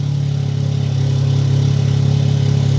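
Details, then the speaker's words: Freshly built Toyota GR Corolla with aftermarket cams on wrong tune, checked with data log: low steady slightly lumpy but even idle, no skipped beats; misfire gone, earlier suspected direct injectors not the cause. "It's not running very happy cuz the cams and everything else, but yeah, misfires are gone."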